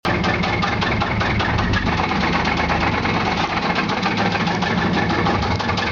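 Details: 1995 Chevy Silverado with a 4.3 Vortec V6: a loud, regular knock at idle, in time with engine speed. The battery also keeps discharging, and the cause is unknown.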